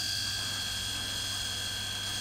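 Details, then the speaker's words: Newly installed capsule booster pump under a combi boiler/water heater, starting when a hot-water tap opens: steady, even high-pitched whine with a low hum underneath, no knocks or rattles; pump runs normally and stops when the tap closes. "زمانی که شیر آب گرم باز میشه، پمپ استارت میخوره، پکیج روشن میشه."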